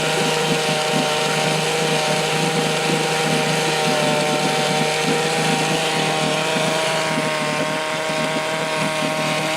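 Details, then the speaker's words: 1972 Johnson Seahorse 6HP outboard (6R-72D), first start in 20 years after fresh plugs and fresh fuel: steady buzzing two-stroke pace, no misses or knocks; running normally. "[Music] well there you go fresh plugs that fresh gas and she'll fire off every time"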